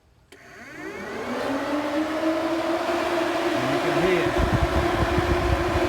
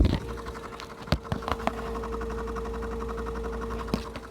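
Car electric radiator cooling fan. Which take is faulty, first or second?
second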